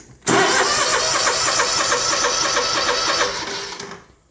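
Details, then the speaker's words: Small engine with brand-new carburetor and electric fuel shutoff solenoid: about four seconds of brisk even cranking that never fires; fuel reaches pump, so stuck solenoid plunger blocks fuel. Crank no start, fuel solenoid fault. "a brand new carburetor, and it's still not starting. And the reason I know it's the plunger is I pulled this line off of the fuel pump here, and I got plenty of fuel coming out of there."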